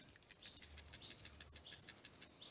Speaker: you can hear that rattling if you can hear that rattling most of the time that's what your issue is for you're running out of fuel because you've got your breather time little breather hole here